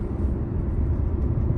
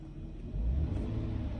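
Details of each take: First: Eight-year-old petrol car idling with a lumpy, uneven low thump: intermittent cylinder 5 misfire found by scanner, from a worn ignition coil; rear coils and spark plugs to be replaced and throttle body cleaned. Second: Car, about eight years old, after fixing a misfire by replacing the cylinder 5 coil plus two more coils, a full set of spark plugs and cleaning the throttle body: smooth, low, even idle with a small early rise, no skips.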